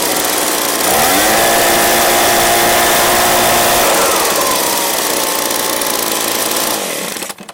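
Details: Echo PB265LN backpack blower, free junk unit fitted with new recoil/pull cord assembly: two-stroke revs cleanly to steady high buzz, holds evenly, winds down smoothly; running healthy.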